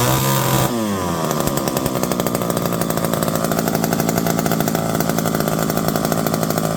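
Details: Electric-start McCulloch 5-10E chainsaw, revived from locked up and cheaply fixed: catches and climbs to a high steady buzzing scream, holding evenly while cutting; pulls strongly and runs clean.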